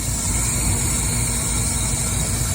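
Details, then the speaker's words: Central AC on R22 with a dead condenser fan motor capacitor: the compressor draws almost 19 amps with about 98° discharge, making a heavy, strained drone with hiss, far too loud. "almost 19 amps. That compressor sounds like ass."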